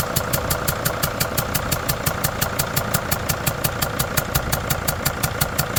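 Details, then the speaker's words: Freightliner five-cylinder diesel with a leaking number four injector, retightened but with the old washer still in place. Sharp ticking at nearly three per second rides over the idle: still leaking compression, though less than before. "Nope. It's still leaking, but it's not leaking as bad."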